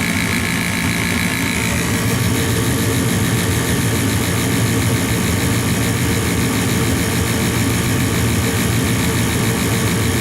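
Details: Gas furnace after gas valve replacement, manifold pressure about 2.8 being adjusted to 3.5: constant even whirring hum, no ticks or rattles, while waiting for the hot surface igniter; inducer fan running normally.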